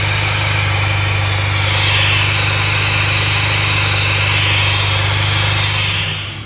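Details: 2004 R53 Mini Cooper S, supercharged: loud rushing hiss from under the intercooler, rising with revs; suspected cause is a line falling off the fuel regulator, a quick fix.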